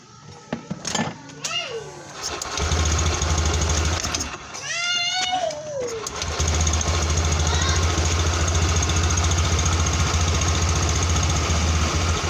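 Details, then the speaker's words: Honda Beat scooter CVT, after fixing an incorrectly fitted kick-start gear and worn front crankshaft threads: after some knocking, settles into a smooth, even hum with no rough grinding from the CVT. "di bagian CPT sudah terdengar halus ya teman-teman ya"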